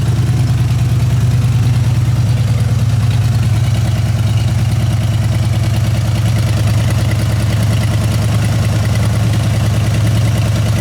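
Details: Old truck V8 parked for months, started without touching the throttle; heavy lumpy idle with an uneven beat and shaking throb. One cylinder is down, owner suspects a rear cylinder; cause not confirmed, possibly needs another engine.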